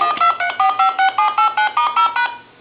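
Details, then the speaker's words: Coby CT-P750 big-button speakerphone under repair, dialing on speakerphone through a test analyzer: eleven crisp, evenly spaced two-tone DTMF beeps; the tone generator dials normally, and the phone transmits, receives and has dial tone. "So we know this telephone is transmitting and receiving. There's dial tone."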